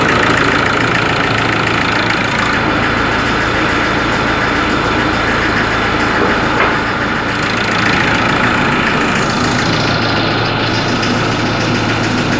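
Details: Ford Ranger 3.0 Limited diesel, cold engine at idle: hard, steady tapping about three knocks a second over the clatter; mechanic and pump specialist could not find the cause, selling shop could not fix it.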